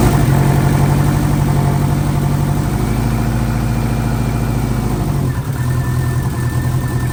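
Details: Freshly installed engine in an 04 Subaru, first morning start after filling oil and coolant and bleeding overnight: even low idle steps up briefly, then settles back smoothly with no knocking or misfire; normal idle. A coolant leak was later addressed at a cylinder-4 cooling-mod fitting, believed fixed.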